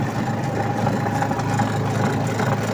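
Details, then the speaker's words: Astro spin dryer running loaded with clothes, back cover off, heard from underneath: steady low hum with rough buzzing rattle; owner reported noise underneath, caused by a loose suspension spring spinning under the drum; noise briefly stops then returns. "So kung mapapansin ninyo 'yung ayon yung spring na umiikot. Ayan oh. Umiikot sa ilalim."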